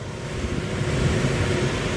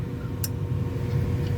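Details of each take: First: Trane Voyager rooftop unit on a no-heat call: the supply blower runs very quietly with a soft, even rush of air and no squeal or slap. Airflow is present, so the tech's suspected no-airflow high-limit trip is ruled out. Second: Trane/American Standard Voyager rooftop unit on a no-heat call: one sharp click, then only a low hum while the inducer motor never starts and the board flashes a red fault. Technician suspects a bad inducer motor, not yet confirmed.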